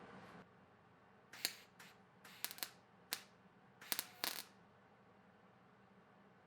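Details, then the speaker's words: Stitch welding to fill holes in thin sheet metal: short sharp crackling arc bursts with quiet gaps, a sewing-machine-like tapping rhythm rather than a continuous bead, which is correct intermittent stitch technique. "You can hear the cadence of when the arc strikes. It is not a continuous bead. It is, think of a sewing machine needle coming down and tapping and then pulling back and tapping and pulling back."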